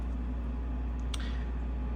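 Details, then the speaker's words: Ham radio (101 transceiver) audio through speakers with the OM power amplifier's transformers energized: loud steady 60 Hz hum with a faint buzz above, desk almost vibrating; owner believes magnetic flux from two big toroidal transformers in the amp induces the hum. "I don't know if you can hear it but you can actually hear the hum the 60 H hum coming through my speakers vibrating the desk almost a little bit"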